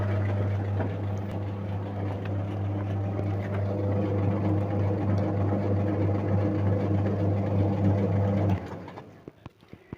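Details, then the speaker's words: Samsung single-tub top-loading washing machine, unused about a year, damaged modules removed, motor powered directly: steady, even low hum for about eight seconds with no rattle or grinding, then a clean cut-off; motor runs fine. "donc nous allumons le dynamo d'abord et le moteur va bien"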